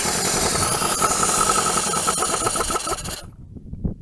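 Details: 1980 Dodge Colt Challenger (Mitsubishi Galant), four-cylinder carbureted, automatic, sat unused 20 years since 2001, cranked with cleaner sprayed into carburetor: rapid chugging crank catches a few rough beats then dies; fires briefly only, fuel delivery lacking.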